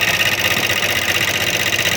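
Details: Honda CD70 motorcycle at idle with tappet cover open, oil present but not reaching the head: fast sharp metallic valvetrain ticking, bright and clattery up top; oil starvation traced to the oil pump, engine running hot.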